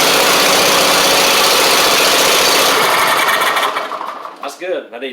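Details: Troy-Bilt Mustang Z46 zero-turn mower, first start after fixing crossed wiring, no spark plug check yet: fires and runs with a steady, busy patter, then winds down; healthy start.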